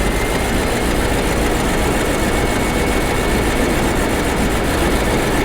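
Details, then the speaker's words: Bentley Arnage T petrol V8, first start after engine strip and reassembly following about two years parked, idling steadily with no stumble; earlier misfire appears cleared. "sounds okay I think but uh I did have a misfire so if that has been cleared"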